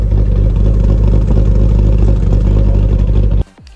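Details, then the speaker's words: Ford Territory Turbo with Barra engine, PCMtec tune with increased cam/valve overlap and raised idle: loping, uneven idle pulsing about four times a second then cutting out; tune made it lumpy and kept it stalling. "okay so Thomas tweaked the tune a bit he raised the idle and we are we are now lam.com baby it sounded way more lumpy"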